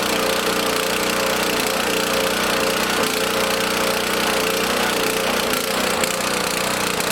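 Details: Small lawn mower engine in a fuel additive experiment, lumpy uneven idle with a busy rattly note; runs rough on choke, still needing a feathered choke.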